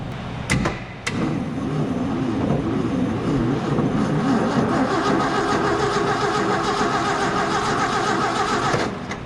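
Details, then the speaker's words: Slow cranking, no start: 1968 Ford F100, parked about 20 years and running when parked, labored starter churning three to four turns a second for nine seconds without catching; Ford starter solenoid suspected; spark and fuel next. "It's a little slow to start out with."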